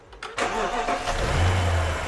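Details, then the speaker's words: BMW N62 V8 with intermittent misfire, restarted after swapping a known-good spare ignition coil into cylinder 2: quick starter whirr, then catches and settles into an even, steady low idle with no stumble; normal start and idle. "okay now i'm watching cylinder two and i'm feeling the idle the roughness or smoothness of the idle"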